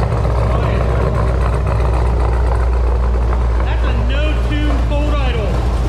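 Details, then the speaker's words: LS V8 with big cam, first start-up after replacing failed aftermarket header gaskets: deep, lumpy, choppy idle with steady loping beat, no ticking or puffing at exhaust ports; header leak fixed, healthy cammed idle, oil pressure mid-gauge. "she's definitely not leaking from the headers anymore i solved that issue damn thing sounds good"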